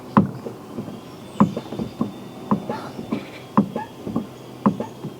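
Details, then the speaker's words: Fiat 500 salvage repair, engine off, body-worn mic: sharp squeak with every clutch pedal stroke, about once a second; owner hopes it is the slave cylinder, unconfirmed. "Squeaky clutch, squeaky clutch even. So that's going to be, hopefully, that's going to be the slave cylinder."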